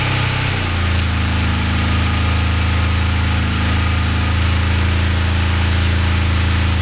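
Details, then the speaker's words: Four-cylinder motorcycle started on three cylinders with plug lead 2 disconnected, then lead 1 pulled: low, lumpy, uneven idle about three pulses a second. Misfire from the disconnected spark plug lead. "so clearly it runs on two cylinders uh with plug wire one in and uh two disconnected"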